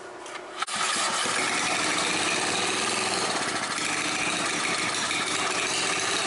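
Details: Old scrapyard Briggs & Stratton generator engine, owner guesses late 70s or early 80s, fresh oil, primed and choked: sharp catch, settles straight into a fast, even buzzing run with no misses; engine and carburetor work, starts and runs properly.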